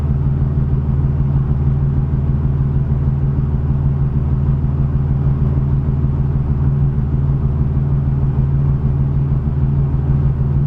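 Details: 1987 Chevrolet Cavalier RS Convertible V6 idling with a low, uneven lope whose pulses waver instead of holding a steady beat. Rough idle persists even though the owner has replaced everything.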